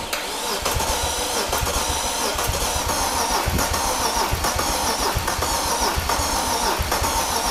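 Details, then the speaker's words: Wrecked 2005 BMW E46 330i ZHP, 6-speed manual, engine damaged in crash, jump-started on extra batteries: starter churns steadily about once a second, never catches or speeds up; tank found nearly empty of fuel. "there's no gas no like yeah there's like barely any gas there's like no gas in here now we know what's wrong with it and I got no gas in it"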